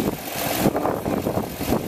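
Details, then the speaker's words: Honda Odyssey after a power steering fluid flush; the pump previously whined. Turning the wheel now, the engine hums evenly with no pump whine or groan. Normal power steering pump operation. "For listening when I was turning the wheel, there was no noise coming from the power steering now."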